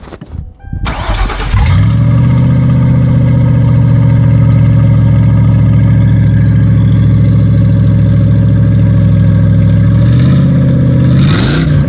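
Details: Ford Crown Victoria before its exhaust was finished (cherry bomb mufflers, gutted cats), the "before" sound: it cranks, catches and settles into a loud, deep, raw-edged idle. The exhaust is open and not yet fully fitted.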